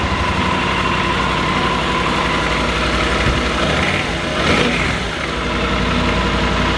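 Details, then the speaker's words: Yamaha Super Tenere inline-two (parallel twin) motorcycle: steady, even, lumpy idle with a short throttle blip midway and nothing irregular. Normal idle. "it sounds pretty good you know like when it's idling and stuff it doesn't sound good at all because it's an inline two"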